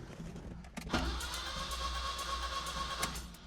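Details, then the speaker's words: Wrecked 1974 Alfa Romeo GTV 2000, built 2.0L with dual Dellorto carbs, old battery fitted, out of gear: steady electric whir and even low drone as starter cranks; engine turns over freely, normal cranking. "It turns over. Now we need to investigate the compression of each cylinder."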